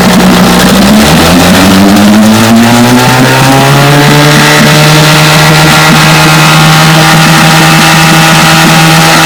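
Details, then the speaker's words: Vintage Johnson two-stroke outboard that misfired at high speed, after replacing pitted new breaker points with another new set: revs up and holds a smooth, even buzz with no misses, then cuts off. "i believe that was the problem that's more steady running easy yep that was the trouble points"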